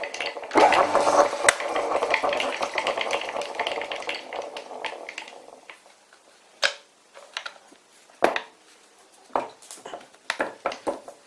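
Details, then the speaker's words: Old WW2 Fischer lathe converted to v-belt, pulley halves bolted together, belt slipping slightly on motor pulley: uneven metallic clatter, then loose knocks as it slows; gearbox rattle. "it doesn't sound very good let's switch it"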